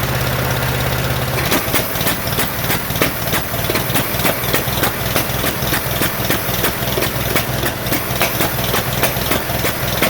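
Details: 1947 Farmall M tractor, first start after rebuild: uneven lumpy idle, irregular pops about three per second, missing beats; running on only two cylinders, carburetor popping, no power; later found plug wires reversed, fixed.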